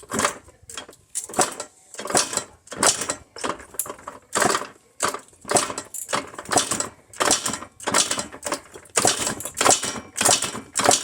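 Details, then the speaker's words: KTM 50 Junior Adventure 50cc dirt bike, long-stored, cranked with carburetor removed (wide open throttle) for a compression test: even rhythmic whooshing strokes, about 105–110 PSI; normal cranking with good compression, spark present, fuel issue suspected. "I got 100 between 105 and 110 PSI which is good I think that's good"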